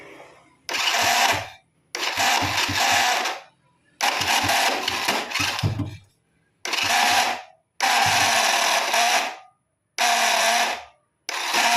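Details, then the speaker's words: Honda Supra Fit motorcycle electric starter, battery dropping to 8 V so charger assisting: short harsh cranking bursts with rough growl; starter bushing worn loose on the shaft letting the armature rub the magnet, brushes worn and a magnet detached. "Tadi masih terdengar suara ngorok-ngorok ya. Ternyata untuk bagian bos-bosan di dalam sana itu sudah aus atau longgar terhadap as ini."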